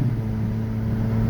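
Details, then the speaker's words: Kia 4WD at about 220,000 miles, after its plugged air filter was fixed, pulls with a low steady drone and no stumble or misfire; the engine is smooth, though an exhaust leak is noted. "The car is smooth. Okay, we have an exhaust leak, but the car is smooth. Car is smooth."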